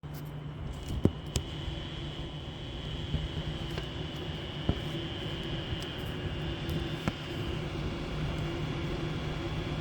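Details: Under a steady high-revving drone, sharp irregular ticks and rattles pop through every second or so; the source is unclear. Rattle at high rpm.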